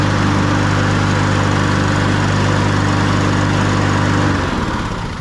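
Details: Honda walk-behind push mower, oil warm from an earlier run, before its spring oil change, running on old-smelling gasoline: single-cylinder buzz at constant governed speed, then winding down cleanly at shutdown; healthy.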